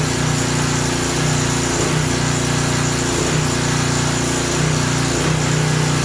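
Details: Craftsman 3000 psi pressure washer engine running unloaded, pitch rising and falling in uneven waves; surge expected to stop under water-pressure load; oil thought to have been overfilled to the top of the dipstick.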